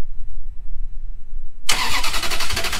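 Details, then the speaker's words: Ferrari 360, about 24 years old, gated manual, started after 4 months of climate-controlled winter storage: short crank, catches at once and settles into a strong, even idle, starting better than on a normal summer day. "started right up I mean that started right up like better than it did on a normal summer day"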